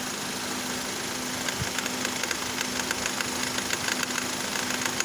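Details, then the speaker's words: Idling engine with air conditioner on: light, quick rattle about three ticks a second from the belt tensioner pulley, which stops when a screwdriver is wedged against the pulley; confirmed worn tensioner pulley, to be replaced. "With this test, I've confirmed that it is the pulley, the belt tensioner pulley that is making this rattling sound whenever the air conditioner is turned on."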